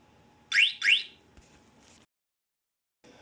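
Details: Motion alarm mounted on a unicycle at sensitivity setting one, in an A vs B comparison, with the wheel disturbed to simulate a theft: two quick, shrill rising chirps, then quiet, as the anti-theft alarm sounds.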